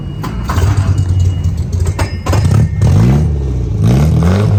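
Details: 1959 MGA 1600 Roadster, 1600cc inline four, body-off restored 2010: starts and catches, picks up smoothly on light blips and settles to an even run; healthy.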